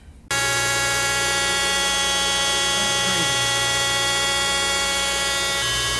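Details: 1988 Toyota 4x4 van (Crusty), alternator before service: steady high whine with low hum underneath, wavering near the end; worn alternator bearing, charging output fine, fixed by the shop replacing the bearing.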